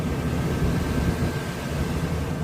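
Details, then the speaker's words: RV furnace in a 2022 Sunset Trail 299QB after the sail switch fix: steady airy rush with a faint hum, now firing and no longer cutting off, blowing hot air, normal furnace operation. "So like I said, right now, the heat is on and it has a different sound to it,"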